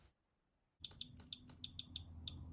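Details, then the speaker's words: Vintage Rolex movement during service, balance reinstalled after adjusting the Breguet overcoil hairspring and stud: sharp ticks come unevenly, bunched then gapped, an erratic beat. "sadly, it sounds like the house and garage music I used to listen to back in the day."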